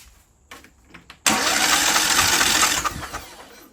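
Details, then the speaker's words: Craftsman DYT 4000 riding mower engine after the coil was flipped and re-gapped with the kill wire off: cranks, catches for about a second and a half with a rough, lumpy beat, then dies; a spark tester shows weak spark, a bad ignition coil. "Yep, I'm calling it, guys. We got a bad coil."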